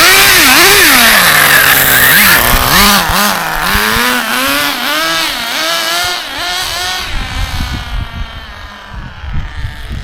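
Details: Acme Condor Pro A3001T 1/10 nitro RC buggy, circa 2002–2005, unrun for almost 20 years, engine preheated, throttle trim quite high: high buzzy note rising and falling with throttle blips then settling lower, picking up cleanly.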